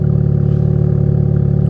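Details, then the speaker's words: Pontiac G8 at auction, cold air intake, oil full, just started: steady even idle with deep, slightly raspy exhaust drone, no knocks or misses, exhaust condensation; runs healthy through apparently aftermarket exhaust. "That exhaust can't be stock either. It sounds a little ricey, you know, but whatever."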